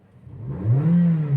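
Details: Toyota Vios Dual VVT-i brought in for hard starting and long cranking, suspected fuel delivery fault: smooth, clean rev climbing to a steady higher hum, even and strong with no misses or rattles; normal revving.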